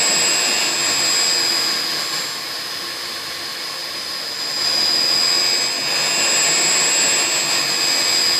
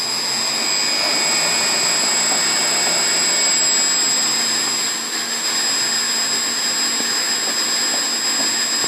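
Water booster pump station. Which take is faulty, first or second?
first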